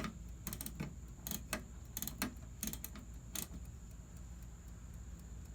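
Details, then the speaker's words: 1954 Chevrolet 210 (chopped, Bel Air trim), during rewiring under the dash after the wiring fried: the dash clock gives a faint, steady, high whine with light clicks. The owner questions whether it's electronic, since it whines. "Gang, that ticking, it appears to be the clock. I don't even know what to say about that."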